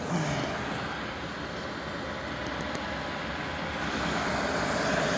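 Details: Newly installed diesel heater in a side-by-side shop, remote set to maximum, running on high: steady, even rushing roar with no surging, popping or ticking; burning cleanly and putting out very hot air.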